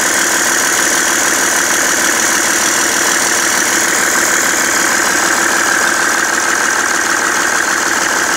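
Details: BMW 330d E91 diesel idling after main and EGR thermostat replacement, now knocking and smoking: loud, busy idle with rough, uneven clatter at a few beats per second; knocking at idle, cause unknown.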